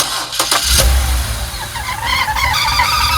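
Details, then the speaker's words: BMW E91 328xi Touring, N52 engine, in for an oil pan gasket leak: a high wavering squawking chirp repeats over idle right after startup, coming from underneath the car; the owner confirms it does this, cause unknown. "Jacob just showed up and I was like, "Hey man, I'm doing some troubleshooting. I'm hearing this like squawking noise on startup.""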